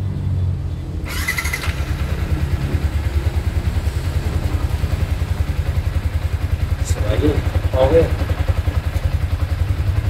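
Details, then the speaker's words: Yamaha Sniper 155 VVA underbone started after an oil change and spark plug replacement: even low putter holds steady with no ticking, rattling or stumbling; engine running normally. "So ito yung titisting natin mga paps. I-start natin, pandarin natin."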